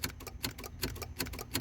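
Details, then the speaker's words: Project C5 Corvette Z06 with LS3 swap (possibly Lingenfelter): key turned, clutch in, fuel pump relay ticking two to three clicks a second, no cranking; dash had shown pull key/wait 10 seconds and reduced engine power. Relay clicking, no crank. "push in the clutch and you could hear the relay for the fuel pump and everything but it's just not cranking"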